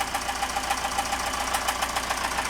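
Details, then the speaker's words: Sailboat's newly rebuilt marine engine at idle in neutral: sharp, even tick about seven times a second over a steady idle, engine otherwise running well; knocking noise, cause not yet found. "the engine is running well it's just that sound which we're no"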